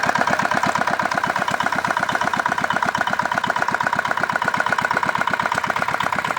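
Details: Old modified Chinese R180 single-cylinder diesel for wood splitting, repaired after repeated seizing despite earlier crankshaft replacement: even thumping about twice a second, crisp steady firing, no knock or miss; healthy.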